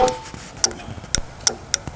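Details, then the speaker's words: Spark CycleWorks Javelin e-bike, 12 V brake light relay triggered by the left (regen) brake; right brake only clicks the handlebar lever: crisp sharp clicks, roughly six in two seconds; relay switching in normally. "So the right brake is not going to make anything. You're just going to hear the handlebar clicking. And then the left brake, you can hear the relay initiating, right?"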